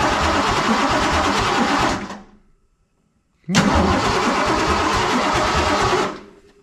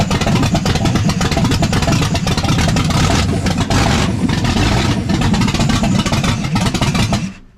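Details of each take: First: 347 stroker V8 in a Ford F150, first start attempt after the build: steady fast starter churning about two seconds, a pause, then another long crank; never catches or fires. Owner suspects distributor; cause not confirmed. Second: Ford F150 with a freshly built 347 stroker V8 on its first fire, no mid pipes or driveshafts, coolant partly filled: loud, deep rumble with even firing and quick throttle blips through open exhaust, no knocks or misses. Normal, healthy running.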